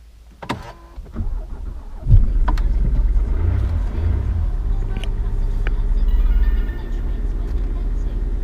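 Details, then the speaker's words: Jaguar XJ diesel started from the driver's seat right after a fuel filter change, bonnet open. Brief cranking, it catches after about two seconds with slight throttle and settles into an even tick-over with no warning lights. Normal start and idle. "it took a couple of seconds to start job done ticking over lovely no warning lights except the bonnet is open"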